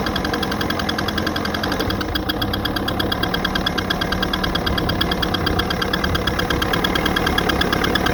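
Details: Evinrude 88 SPL outboard with a remanufactured powerhead, 10 hours, broken in per instructions: fast steady ticking over the running note since the powerhead replacement, not going away; cause unknown.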